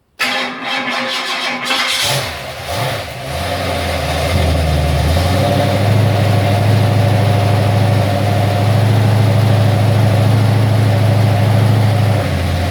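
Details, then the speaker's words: Ford XC Fairmont 351 V8 on an engine run stand with newly fitted Thermoquad carburetor: cranks, catches and settles into a steady, even, slightly raised deep idle on choke while warming up cold; normal cold-start fast idle. "still on choke at the moment but I just want to warm it up a bit"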